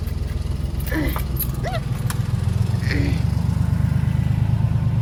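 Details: Honda Acty mini truck after replacing battery, terminals and main fuse: steady rhythmic cranking, three to four pulses a second, engine not catching; long crank, hard start persists, later resolved after a Noco lithium battery install.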